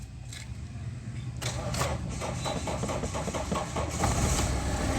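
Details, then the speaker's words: Mahindra Xylo with a no-start problem, after unlocking the locked ECM and waiting one minute with ignition off; check engine light goes out, brief crank, catches in about a second and settles into even diesel clatter. Normal start and idle, problem solved. "So வண்டியை start பண்ணியாச்சு. Perfect. So problem solve ஆகிடுச்சு."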